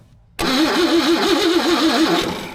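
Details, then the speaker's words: 1954 Chevrolet that sat about two decades: the starter cranks with an even, wavering churn for about two seconds and it never fires. There is no spark. "oh it sounds gross keep going it sounds like big Power we've got everything except for spark which means we have nothing"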